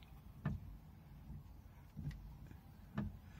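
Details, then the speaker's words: 2005 Hummer H2 front wiper after motor replacement, test with key on: three dull low clunks about one per sweep; owner suspects play in the spline on the mechanism or earlier-shown looseness, always been there. "The play, or the clunk that you can hear, I think is to do with either some play in the spline on the mechanism, or that looseness that I showed earlier. It's always been there."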